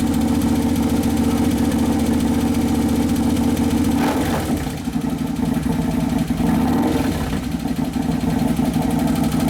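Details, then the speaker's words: 2011 Harley-Davidson Road Glide FLT Twin Cam, freshly rebuilt engine on its first heat cycle after the O2 sensor was found on the wrong side; steady, even V-twin idle with no knocks or rattles, settling normally. "yeah it sounds like it's settling there's your first heat cycle"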